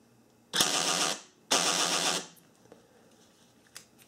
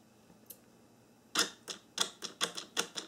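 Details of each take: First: 1994–1997 Honda Accord door lock actuator, before repair (driver side, extra switch wires): two harsh buzzing grinds about a second each as it drives one way, silent the other way; gears slipping, culprit a fallen-out rubber bumper dot. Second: 1994–1997 Honda Accord door lock actuator bench-tested after repair: crisp even clicks, about eight quick strokes in two seconds, no grinding or dragging either direction, normal operation.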